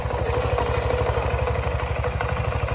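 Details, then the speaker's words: Voge SR4 scooter at 15,000 km service, oil and filter changed, variator cleaned, sliders treated, cover open: steady even idle with the variator rattle gone, only a faint light tick where the belt brushes. "varat sesi yok taka takaa yok haldeki gibi şu an sessiz çalışıyor Belki bir tık daha iyi oldu hatta o sıkıştırma olduğu için"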